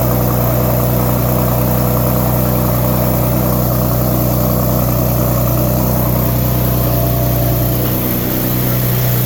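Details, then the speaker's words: Explorer with a new 2.5 Thermal exhaust and test pipes, idling with the car in the air: fast, even puffing tick over the exhaust note, about four per second; leak where the shortened downpipe ends, to be fixed by extending the downpipes. "air oh yeah there's a leak here so we're going to I'm going to have to put these other down pipes in cuz basically the end of the downpipe ends here"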